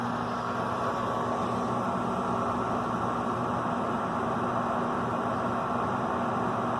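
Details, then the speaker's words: Gas furnace during pre-winter inspection, thermostat calling for heat, thermocouple proven and main gas valve open: steady burner and blower roar with low hum, no rumble or popping; clean blue flame, complete combustion, furnace working normally. "this furnace is working really good it's a beautiful blue flame which means there's no wastage of gas"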